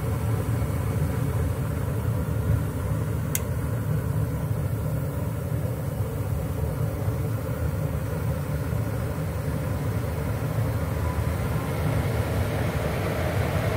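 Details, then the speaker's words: American Standard/Trane gas furnace with five burners, ECM blower motor after replacing its burned-out thermistor (Ametherm SL32 1R030): steady low rumble of moving air with an even, unchanging tone and no rubbing or ticking; repair successful, blower running normally. "you can hear the blower motor and the blower fan came on so that was a good fix"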